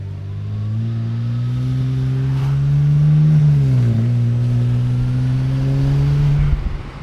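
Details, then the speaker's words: BMW E90 335i N54 twin-turbo after downpipe install and wastegate actuator testing, earlier low boost and misfire faults: clean rising engine note on a light pull, no stumble or flutter; boost building normally. "oh boy i hope you guys just heard that let me let me try to do it again for you that definitely sounds like boost to me"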